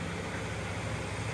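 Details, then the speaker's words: Yamaha NMAX scooter after repair of a strange engine noise and full service, original plug and CVT parts: noise that was ugly before is now gone, even steady low hum with no knocking or rattle, normal running. "agora tá certinho barulhinho uma tia tá zera"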